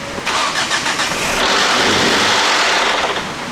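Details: Volvo sports car, long abandoned, first start after new coil packs and spark plugs: a rough, uneven clattering start that never settles into a clean idle, with harsh mechanical knocking. The belt has jumped, giving incorrect cam timing.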